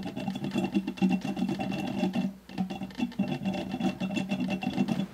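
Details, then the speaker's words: Mercedes CLK55 AMG during coolant refill, engine off, lower radiator hose squeezed back and forth: gurgling bubbles with occasional sharp pop as trapped air burps out of the cooling system. "squeezing that hose and just keep kind of squeezing it back and forth and you can hear it bubbling"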